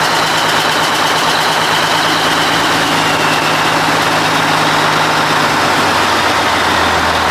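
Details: 1980 Mack FR700 diesel truck idling after restart, following an oil leak fix and first start in 10+ years: loud, rough but even clatter at steady speed with no misses or knocks.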